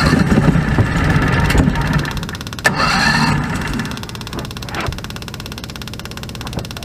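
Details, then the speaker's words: Predator 670 V-twin with electric fuel pump, after adjusting the stock carburetor screws under the removed caps (factory tune unstable, needed half choke): low even idle holding steady without hunting, a few handling knocks; now idles smoothly. "already much better before I wouldn't even item go it needs a stable now so I'm happy I think this is gonna work out pretty well"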